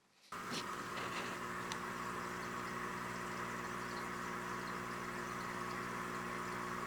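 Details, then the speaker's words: Nisso MUTE DC600 piezo USB aquarium air pump; soft even hum under a bubbling air rush, no rattles or buzzing; unit much quieter than the air sound. Normal running. "Compared to the sound of air, you can see that the main unit is extremely quiet ."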